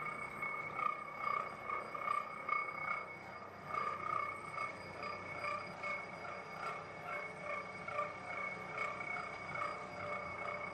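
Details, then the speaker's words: Hobbing machine cutting a 127-tooth gear: slow cutting with soft chatter, an occasional vibratory buzz and the gear ringing like a bell, with no hard hits; normal hobbing. "occasionally there's a little bit of a vibratory buzz and you can hear the the chatter of the cutting process and that's just the way it is."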